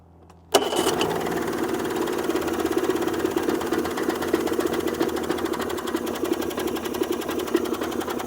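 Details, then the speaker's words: Yamaha 90 HP two-stroke outboard on a water hose before a sea trial: starts with an uneven choppy beat and sputters; limp mode suspected, cause unconfirmed. "So it's not sounding too good right now. Let's get it out a little bit and see what it sounds like. Whoever the gentleman was that said it sounds like it's running on 2 cylinders, that's what I'm hea"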